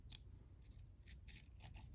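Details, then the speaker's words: Used SAB Goblin RAW 700 nitro helicopter, main shaft turned by hand during teardown: uneven dry scratchy rasps from excess Loctite in the main bearings, both sides affected, one side less; shaft marked, head was glued with Loctite; main bearings ordered. "that noise that you hear is actual Loctite inside the main bearings. Both sides are the same. This side, not as bad. But that's where that grittiness was coming."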